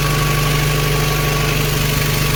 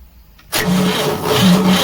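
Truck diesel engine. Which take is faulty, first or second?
second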